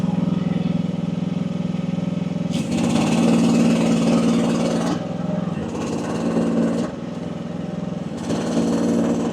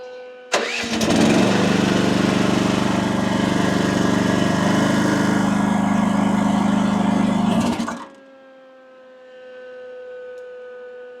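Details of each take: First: AGT WH12R 1-ton mini excavator diesel, relief reset to about 2300 PSI (near factory setting), digging; runs steadily, dips briefly as hydraulics load each dig then recovers without stalling: owner feels setting is optimal, normal operation. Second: AGT WH12R 1-ton mini excavator diesel, relief valve screwed in 1.5 turns, boom deadheaded up, gauge flickering to around 3000 PSI; engine bogs into deep steady drone about seven seconds, then eases to idle: lugging from relief set too high.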